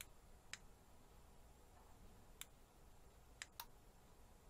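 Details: Sonoff smart switch relay triggered by 433 MHz key fob, switching a big LED panel on and off; sharp crisp single clicks at irregular spacing over quiet room hum; relay snapping over cleanly, normal switching.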